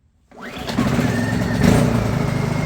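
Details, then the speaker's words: Honda EU2000is inverter generator, bought as non-running (the fuel pump needs up to 12 pulls to prime), started cold on choke: catches within a second of the pull and settles into a steady, even run; normal cold start. "yeah it's still cold we're going to choke"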